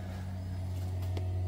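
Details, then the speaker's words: Toyota 7M fuel pump on a 12V relay mod, switched by an ECUMaster EMU Classic auxiliary output as fuel pressure comes up: a steady, even low hum as the pump primes and fuel fills, no surging or whining. Normal fuel pump running. "okay you can hear the fuel pump rolling and you can hear the fuel filling up inside there"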